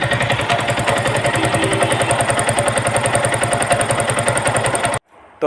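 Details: Yamaha R15 motorcycle at 17,240 km: loud idle with a hard, rhythmic knock of about three to four per second on the firing beat; head and cylinder opened showing a badly worn piston, plus some valve trouble.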